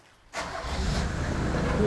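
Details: Willys civilian farmer pickup, about 1962, at a Cornwall classic car dealer's: engine fires within a moment and runs evenly with a steady low rumble, no misses or knocks; a healthy start.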